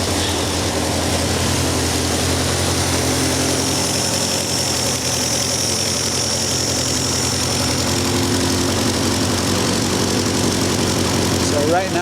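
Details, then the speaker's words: Vandiemen RF-85 with a Pinto 2L engine and a Weber DGAS 38 that replaced a DGAV 32-35, idle mixture being adjusted with an AFR gauge from about 19 (too lean) to about 14.67: firm, even idle with a steady low beat and no stumbles or pops. "I've just been adjusting the idle mixture, and you can see right now that we are running a bit more rich now, around 14.67."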